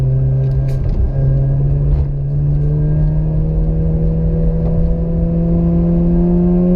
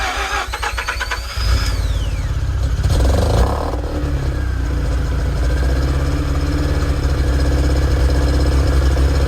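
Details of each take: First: Mazda RX-8 rotary after rebuild: smooth, buzzy rotary note climbing steadily in pitch as it pulls through the revs, no stumbling or knocking; engine sounds healthy. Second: Mazda RX-8 rotary, stock five years ago, start-up: short cranking catches into a loud, lumpy, uneven idle that stumbles as it settles, already showing signs of bad engine failure; worn apex seals.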